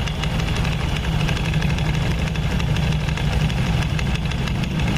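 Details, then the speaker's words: Honda Scoopy scooter with 12-inch rims and the CVT cover opened, idling: a loose, uneven knocking from the belt drive. A CVT part that should be tight is loose and is the likely, unconfirmed source. "seharusnya ini kencang tapi ini nih ya masalahnya tuh ini kendor kemungkinan suara berisik baru pusat dari sini"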